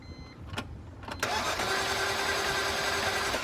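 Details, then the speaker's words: 2007 BMW Z4 E85 3.0i that died suddenly and sat for weeks: fast, even cranking with no firing and no compression pulses. Cylinders 2, 3, 4 and 6 read zero compression; owner suspects valves, a computer issue, or rings stuck after sitting. "even try there's no compression and those cylinders so I don't know if it's a valve issue or if it's just a computer issue"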